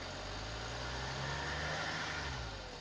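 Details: BMW 525d with the M57 177 hp diesel and ZF6HP automatic, idling with a low steady hum and a loose, uneven rattle at about two per second; unclear whether it comes from the timing chain or the transmission.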